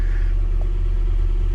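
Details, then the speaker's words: Auction truck (oil looked suspect, possible water in oil, possible head gasket) started right up; short steady low rumble at idle with no misses or knocks, engine sounds healthy. "um engine sounds good guys engine sounds good yeah you heard it start right up"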